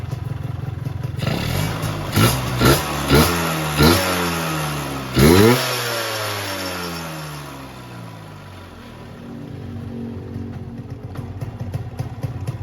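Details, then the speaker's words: Ninja RR VM28 carburettor upgraded with a PE28 slide; about five sharp throttle blips rise and drop quickly back to a settled idle with no hanging revs, so idle and throttle response are good. "Oke, langsam bagus, nggak ada RPM ngegantung, terus responnya bagus."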